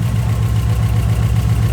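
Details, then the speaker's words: Subaru Impreza with freshly rebuilt engine on EJ207 block, first start, possible vacuum leak noted: steady, even low idle with a smooth regular pulse and no knocks or misses; runs happy and healthy. "We've got to take it for a drive, but I mean, you can just tell that's happy. That's really happy, man."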